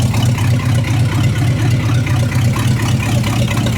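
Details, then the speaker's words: 1975 Chrysler Australia CJ with Mopar 360 V8, just started after fuel-leak fixes and warming up: loud lumpy idle with an occasional miss; one rear cylinder runs cooler than the others, cause not yet known. "Sounds like it's got a bit of a miss at times. So, just going to go through and check the rough temps."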